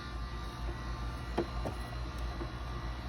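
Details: Insignia NS-IMN44BS4 nugget ice maker running normally after motor replacement: low steady motor hum with no knocking or clunks, just one or two light clicks.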